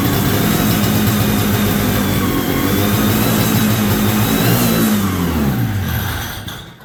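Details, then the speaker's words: 1973 Columbia snowmobile two-stroke, carb cleaned and rebuilt, new fuel lines, temporary tank: buzzes briefly, revs sag and it dies within seconds; fuel starvation because the crankcase-to-carb pulse line was left off. "But it runs. You can see that. You're still in view here. But I can't keep it drawing fuel up into the carb, so I'm just wondering if this is, the center one is the"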